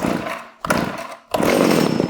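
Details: Vintage Pioneer P26 chainsaw (1976–81) found in a barn, first start with a little choke and a loose exhaust: the small two-stroke buzzes, sags almost to stalling twice, then picks back up; it won't hold a steady idle.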